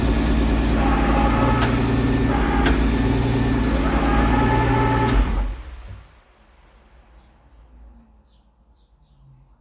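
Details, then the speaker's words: VQ35DETT engine, test of a new sequential gearbox: steady idle with a few sharp cracks, then one loud pop at shutoff as a coil fires on unburnt fuel in the exhaust with the valve open; exhaust backfire pop. "bet the neighbors really appreciated that loud pop uh you get that when the power is turned off for a coil at the wrong time and it makes a coil fire"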